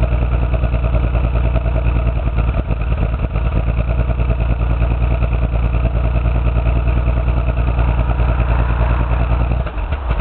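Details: Toyota 7M-GE six-cylinder with no spark in cylinder 6, later found to have a blown head gasket. Rough, uneven idle with an irregular stumble from the misfire.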